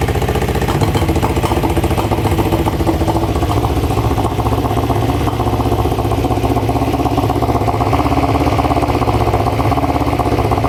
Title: EX500 cylinder misfire